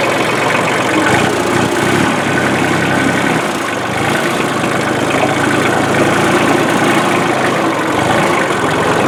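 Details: 1994 Ford/New Holland 1715 compact diesel tractor after clutch replacement (rusted, stuck clutch disc): even, steady diesel idle with no knocks or rattles; engine sounds smooth and healthy.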